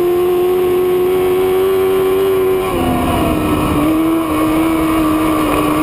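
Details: Race car (new Bullrider) in a heat race: engine drone holds a steady pitch, then sags and wanders without pulling harder, no snap; fuel pressure gauge showed the fuel pump was dying and starving the motor.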